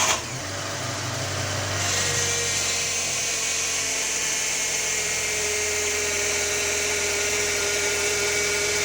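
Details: Fiat Palio Attractive Fire Evo engine running with a steady, rough whirring rattle that holds constant; abnormal engine noise, owner asking if others have seen it, source not identifiable by ear.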